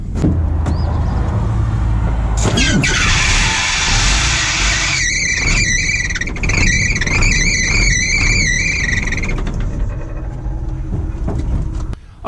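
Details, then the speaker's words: Diesel machine that squealed and nearly stalled while driving: a shrill, pulsing belt squeal over the engine on the belt set driving the fan and alternator. A seized alternator is making the belt slip. "I was just driving down the road and all of a sudden the thing started having a belt squeal like crazy and um I let off the throttle and it pretty much stalled the engine so it had a little bit of a rattle this morning one of these accessories is probably Frozen up"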